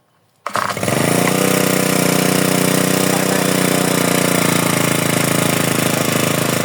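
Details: GX35 four-stroke grass trimmer, started after replacing the broken starter recoil spring/pawl: fires at once on the pull and settles into a steady, even buzzing idle with no misses or knocks; engine healthy.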